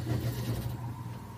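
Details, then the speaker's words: About 120-year-old Emerson Electric AC motor, 1/2 hp, 1180 rpm, after restoration with ring oilers oiled; short steady low hum with faint even tone, no sparking or rubbing: normal running. "good news is it's running i also have the bats good look with oil just to get those ring oilers going it seems like they should be working fine"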